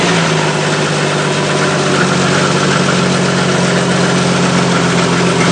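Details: 1998 Jeep Cherokee XJ idling with rapid, uneven clicking over a steady low idle, unchanging; smoke comes out nearby; cause unknown.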